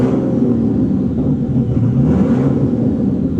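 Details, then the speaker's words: Abandoned Bentley Continental GT, newly installed engine, vacuum lines possibly damaged during installation: petrol engine rumbles unevenly with slight rev swell, running rough from vacuum leaks. "Car is not really happy about the vacuum leaks."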